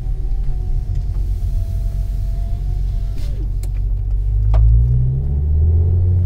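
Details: 2009 Ford Focus ST MK2 facelift, 5-cylinder turbo, 190,000 km, fully stock: deep engine rumble building under hard acceleration with a few sharp clunks, seemingly from passenger side; torque mount suspected, unconfirmed.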